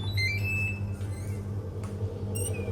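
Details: Hatari Slide Smart L1 18-inch electric fan: low motor hum with intermittent high squeaks while spinning up, from worn motor bearings; fixed by replacing the bearings.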